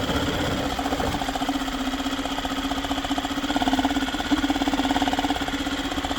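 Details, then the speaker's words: Yamaha 2.5 hp four-stroke outboard after aftermarket carburetor install, idling in gear while idle speed is checked: light, even putter with no knocking or misfire; normal idle. "Not bad for a first time. Started right up first pull. Good aftermarket carburetor, pretty good."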